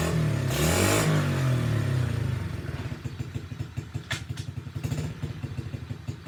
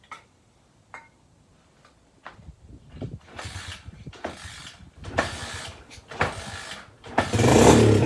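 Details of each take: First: SSR pit bike being revived after neglect, started on choke with a like-new air filter and a worn carburetor due for replacement: single rev, then a steady popping idle that keeps running on its own; the engine runs. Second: SSR pit bike, fresh fuel added; several short spluttering start attempts, one brief ragged catch that fades; owner suspects gummed carburetor and stuck float.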